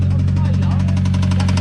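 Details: Mitsubishi Evo X 4B11 turbo engine after running low on oil, now refilled and low on fuel, idling: fast regular knock over low rumble, bigger than when it arrived despite more oil; suspected low compression, engine needs replacing.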